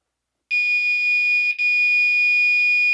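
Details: Fire alarm horn on 2400 Hz tone with California code during a system test: piercing steady high tone with one brief dropout or shift near the middle, otherwise even and unbroken; horn sounding normally.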